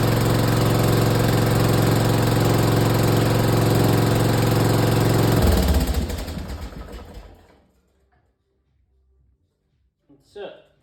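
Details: Craftsman lawn tractor with Briggs & Stratton I/C Gold 12.5 engine, after service with oil in the hash marks: steady, even engine beat with no knocks or misses, then a clean shutdown and spin-down to silence; the engine runs healthy.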